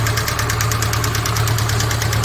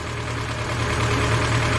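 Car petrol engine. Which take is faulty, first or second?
first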